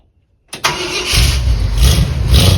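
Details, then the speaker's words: 1976 Ford Highboy truck first fire-up after restoration with new home-made MIG-welded exhaust: quick crank, catches into steady deep even idle with quiet exhaust; healthy start. "Oh, it's so quiet. It's cold nature of that."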